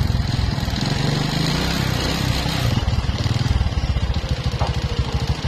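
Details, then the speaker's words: Karisma motorcycle with noisy engine block: small single revving with a loose, uneven rattling knock that grows as the throttle opens, piston slapping in a worn, scored bore. "Neng itu seperti itu ya sahabat banget suaranya ini bunyi ini adalah di bagian blok ya bagian blok piston nya sudah"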